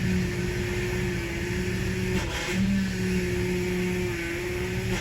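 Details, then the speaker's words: Power steering bleeding, engine idling while the wheel is turned lock to lock ten times: a steady mid-pitched pump whine from air in the fluid, dipping as the wheel turns and getting quieter. "okay now you can hear that winding sound going so you'll want to go all the way over until it hits to the right back to the left"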